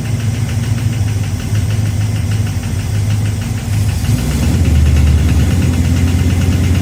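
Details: 1969 Plymouth Fury III, first start after rear main seal replacement, noise at the front of the engine; the part being checked is out about a quarter. Uneven light knocking at idle, about four per second and tied to crank speed: the harmonic balancer shield rubbing the timing cover.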